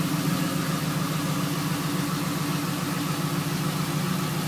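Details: Camaro SS V8 at idle before engine removal: steady fairly regular knock about three or four a second over the low rumble; spun rod bearing on cylinder 3.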